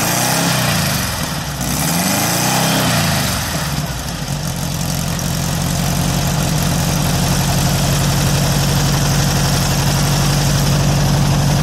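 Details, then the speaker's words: VW air-cooled engine with Weber progressive carburetor, sat a while, fired right up after earlier trouble firing a couple cylinders at idle; after throttle blips settles into a steady, even idle with regular beat, no misses. "actually sounds pretty good after all in whoo rich it's even idling right yeah for Weber progressive that's well for an engine who have sat to for a while and it just fired right up"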